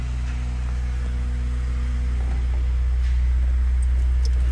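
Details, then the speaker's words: Chevrolet Celta towed in as no-start, tested before timing belt inspection: even starter cranking about four beats a second, never catches; has compression, cause not confirmed, key/belt suspected. "vamos ver se vai funcionar hein ó olha não funcionou tá vendo tentar mais uma [Música] vez não funcionou"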